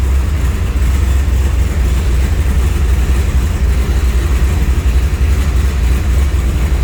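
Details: 1967 AC Cobra replica (titled 1989 Ford) with EFI 390 big-block V8 after push-button start in neutral; deep, steady, lumpy but even idle rumble with no knocks, ticks or misses, healthy.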